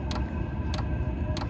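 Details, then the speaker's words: Diesel heater of about 2–5 kW, dosing pump at its lowest 1.6 Hz setting (max 5 Hz): crisp, sharp clicks over a steady fan hum as the fuel pump doses normally. "and now you hear the pump clicking so when I'm inside the basement I don't hear the clicking at all and it doesn't really bother me"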